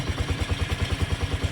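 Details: Honda CX110 single-cylinder, recently overhauled with new connecting rod, side bearing and cylinder block, yet still very noisy: loud even knocking about eight per second, heavy mechanical bottom-end knock.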